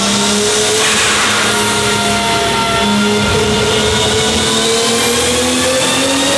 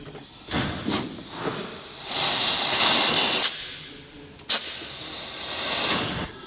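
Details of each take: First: Toyota Supra Mk4 on a dyno after fixing boost leaks, full-load run at 1.5 bar boost: smooth pull with one clean rising tone, no hiss or flutter; no leaks, boost now controllable. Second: Toyota Supra Mk4 on a dyno, intake pressurised for a leak test, heard at the tailpipe: steady airy hiss swelling and fading in surges with short sharp spurts; pressurised air escaping through open valves.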